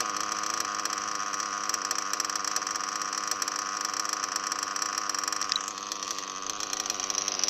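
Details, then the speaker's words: O.S. Speed B21 Adam Drake nitro engine with new ceramic bearings and a 6.5 mm venturi, idle screw turned up after it was slightly low: high buzzy note ticking over steadily with no dips or stumbles; a clean, stable idle. "There, I cranked the idle up a little bit. That's a good idle right there. It was a little too low before."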